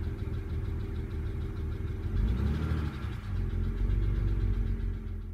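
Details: BMW 135i (E82) N54 petrol engine after a rebuild, idling: steady low hum and even rhythm, running smoothly after the cylinder 6 misfire (P0306) troubleshooting. Normal idle.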